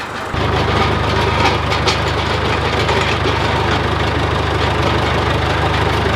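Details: John Deere 410C backhoe diesel after battery replacement, alternator charging at 13 V: steady even low rumble at idle, smooth firing, no knocks or misses; healthy.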